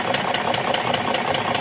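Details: BMW M62B44 TU V8 at idle: sharp, crisp metallic knocks about five or six per second over a steady idle. The knock was a piston.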